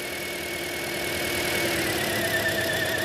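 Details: 2010 Toyota Corolla 1.8 with P0301 misfire, coil unplugging test at idle; unplugging cylinder 2 or 3 coil makes idle rough and lumpy, tone sagging, misfiring on two cylinders, confirming cylinder 1 coil bad.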